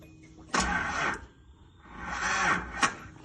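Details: 1983 Datsun 280ZX that sat 18 years, bad starter still fitted, fuel from external tank: two uneven starter cranking bursts with no catch; turns over but will not fire, cause not confirmed.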